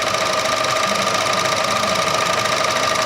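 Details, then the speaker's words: Chevrolet The New Aveo 1.4 sedan, four-cylinder at idle: fast even ticking about three a second from a chattering purge solenoid valve, common for this car; otherwise no abnormal noise. "지금 퍼지 디 솔레드 밸브가 소리가 좀납니다 이거 이차에서 흔히 볼 수 있는 증상인데"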